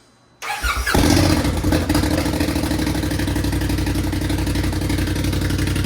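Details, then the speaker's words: Buggy engine bought after fire damage, with burned sensors, wires and seals replaced and resealed, on first start after reassembly: quick catch on the key, then a steady, even run with no misses, knocks or rattles. Starts and runs normally. "So it runs. So it wasn't a waste of money, and the burn victim lives on, which is super cool."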